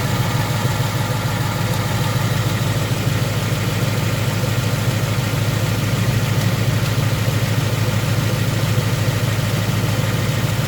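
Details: 2018 Ford Mustang with about 1,800 miles, no exhaust installed, idling with AC on, phone on tire tread: light regular tick over engine hum; owner suspects slight rod knock, not confirmed.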